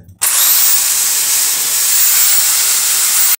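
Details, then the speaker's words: Bosch drill that would not switch on, after opening and checking the switch, test run with worn, dried-out part (should be replaced, mechanism cleaned): high-pitched steady whir spins up instantly, holds even speed until switched off; drill runs normally. "vou ligar provavelmente ela vai ligar quando eu colocar ela aqui"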